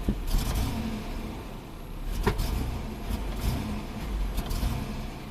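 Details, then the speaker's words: 2002 GMC Sonoma V6 with long crank and low power, fuel pump replaced five times: revving with sharp backfire pops as it falls on its face under load, fuel trims rising; a fuel delivery problem is suspected. "i think it's a fuel delivery problem that's what it sounds like"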